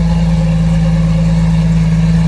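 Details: Porsche Boxster S at a smooth, even idle with a steady low hum, no misses, knocks or ticks, after the high-pressure power steering line was replaced; no leaks, residual fluid smoking off the headers; engine running healthy.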